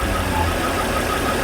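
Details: Volvo C30 petrol engine at idle before repair, with a strange whistle that earlier repairs failed to cure: thin, high whistle coming and going over the engine hum; failed PCV oil separator leaking vacuum.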